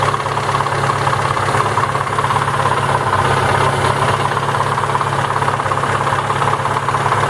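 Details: ZAZ Lanos with a 1.4 MeMZ 317 engine at idle: dull, fairly regular knock about three per second, traced to the clutch housing and gearbox rather than the engine; clutch housing knock.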